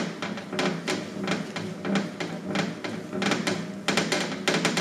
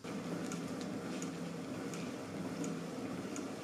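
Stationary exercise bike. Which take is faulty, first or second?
first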